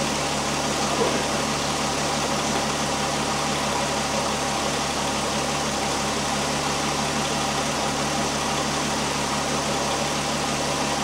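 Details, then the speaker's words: 2001 Volkswagen Jetta GLX, engine idling while bleeding the power steering, wheel turned back and forth: steady smooth idle with no pump whine or groan; no leaks, no air bubbles in reservoir, pump nice and quiet, normal operation. "okay I got got through checking for leaks around the pump everything looks great the pump right at this point is nice and quiet right now"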